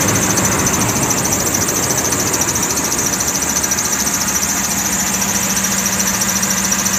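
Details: 2006 Toyota Tundra at idle: shrill, steady high-pitched serpentine belt squeal over the engine, before being fixed.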